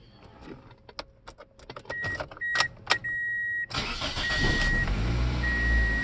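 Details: 2004 Toyota Corolla that cranked but wouldn't start, after the EFI fuel pump relay was tested and put back: a few clicks and chimes, then the engine cranks briefly, catches at once and settles into an even, steady idle.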